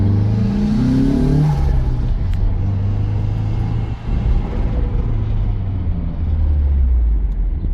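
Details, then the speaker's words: Nissan SR20DET with long-standing low-power issue, warmed up after fuel system rework (hose barb fitting); strong clean revs rising and falling smoothly with no stumble or hesitation: normal revving after repair. "Yeah, that's better. Oh yeah, that's a whole lot better."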